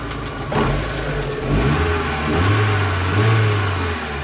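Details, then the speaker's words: VAZ 2112 after replacing crankshaft pulley, engine blipped from idle: lumpy uneven beat and wavering note, still misfiring on a cylinder; hydraulic lifter ticking audible; owner plans to check ignition module. "зажигания всё равно есть есть такое подтраивает"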